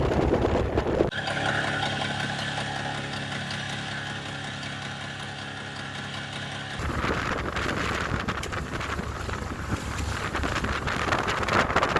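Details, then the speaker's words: 5 hp four-stroke outboard pushing a Snapdragon 24 yacht into a 20–25 knot headwind: faint ticking about three a second under the motor drone and wind, before the engine cut out. "If you listen closely, you can hear it making a ticking noise, which is much clearer on the footage from the camera than it was on the day."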